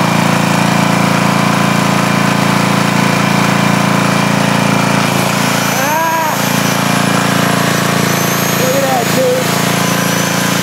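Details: Rebuilt 10 HP Briggs on a 5000 W Coleman generator, formerly smoking, after new rings, after reading up to 244 volts and with a grinder plugged in: steady even drone holding speed under load, no misses or knocks; no smoke, healthy.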